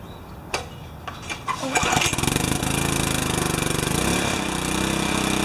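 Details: Briggs & Stratton 4 hp vertical residential pressure washer, frozen and cracked output pipe, unloader replaced, first start after a while: a few cranks, then engine catches and settles into steady, even chug with no misses; normal running.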